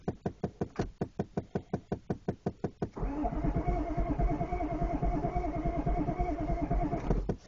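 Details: 1993 Chevrolet 6.5 turbo diesel one-ton dually, cold start: slow, even cranking about two beats a second, a rough burst of firing for a few seconds, then cranking again; won't start.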